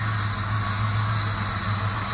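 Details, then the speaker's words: 1997 Dodge Caravan just started after harness contact repair, not yet warmed up: steady low engine drone with loud hollow rushing; intake roar because no air filter is fitted. "ruido que oyen es porque no trae su filtro de aire pero este tiene que calentar"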